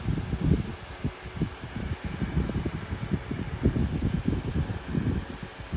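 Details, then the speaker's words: Hunter 12-inch oscillating desk fan on full power, stationary (not oscillating): steady low whoosh of moving air with gusty rumble, no rattles or squeals; healthy fan running. "There it is at full power. The air seems decent. I don't know if you guys can hear it on the camera. I know y'all like to hear the wind stream."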